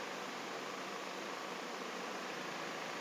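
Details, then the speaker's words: 2005 Toyota Vios Limo Gen 1 with AC on the coldest setting: soft, even rush of air without rattle, squeal or pulsing, blower steady and quiet, AC blowing cold; normal AC blower operation. "Mari kita periksa AC-nya. Oke, ini pengaturan suhu terdingin . AC-nya dingin."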